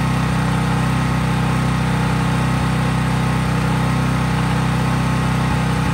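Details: Craftsman 5000-watt generator running outdoors at full speed after a cold start, only an LED bulb plugged in, so no load: an even engine drone with a low, constant hum and no misses or surging. Healthy no-load running.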